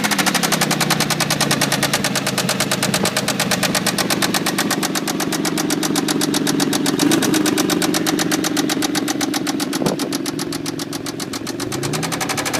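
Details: Toyota Tacoma 3.4L V6 at idle: sharp, evenly spaced knocking about four times a second, loud and heavy, a suspected bad lower-end knock; engine treatment is to be tried.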